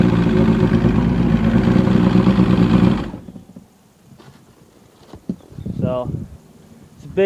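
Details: Evinrude Starflight 100hp two-stroke outboard out of the water, given a couple of good revs: crisp, even buzz holds steady about three seconds then shuts off; normal running after repair work.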